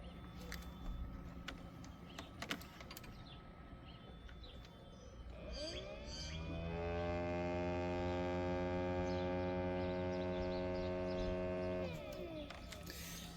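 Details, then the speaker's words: 2009 Toyota Highlander Hybrid with codes P0A93 and P0A05: new electric inverter coolant pump, bench-tested, whirs up to a strong steady hum for about six seconds, stronger and faster than the weak old pump; normal operation. "This new pump is pumping, you know, strongly. It's pumping fast than the old pump."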